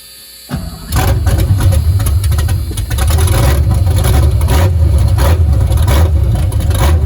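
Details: Foxbody Mustang, freshly installed 331 stroker V8 with Comp Cams, T5 manual, first start: silence, then the engine catches within a second and settles into a deep, throbbing, steady idle; normal, though a small fuel leak was noted after.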